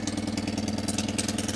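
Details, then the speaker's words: Citroën 2CV at idle: loud, fast, raspy puffing chuff on every firing pulse; the exhaust is blowing through a hole in the manifold, not the suspected crossbox seam, so everything must come off. "oh right okay this is more serious when i thought she's blown a hole in the manifold so i've just pushed back a flap of metal under here that's getting very hot very quickly that's where the blow is"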